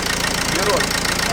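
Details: Dacia Logan idling after compressor clutch replacement: steady, even idle with no squeal or chirp from the belt side; front accessory drive quiet, though alternator still suspected of noise.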